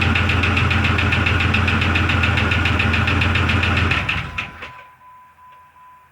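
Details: 2002 Jeep Grand Cherokee Laredo after PCV valve, hose and brake check-valve replacement: steady, even knock about 3.5 beats a second over idle, fading at shutoff; engine sounds hot; cause not yet found, owner considers a rebuild.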